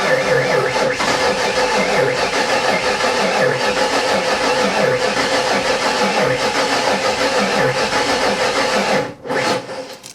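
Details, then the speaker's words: Ford Foxbody Mustang with supercharged 347 V8, first start after oil pump swap, stone cold around zero degrees: starter cranks sluggishly and unevenly; owner suspects the cold battery is weak, not confirmed. It then starts with 35 psi oil pressure. "sounds a little weak it's just cold I think the battery is just inefficient right now"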